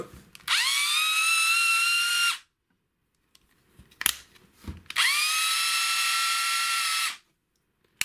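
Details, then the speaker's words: Black & Decker BD405R cordless drill, circa 1985, unused 20–30 years and previously seized, partly charged: two short bursts whining up to speed, harsh, noisy and slightly laboured. "can hear it sounds quite noisy and slightly labored"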